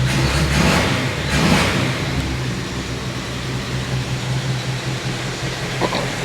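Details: 1952 Chevy Styleline Deluxe petrol engine after cleaning debris from the Rochester carb needle, ticks over steadily after a brief blip with an even low beat; idling fine.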